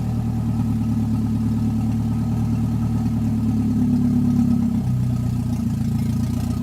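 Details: Toyota 1NZ-FE engine that previously wouldn't idle on its own, after checking idle air control valve and suspecting a throttle body port: cranks into steady, low, even idle with no stumble or hunting.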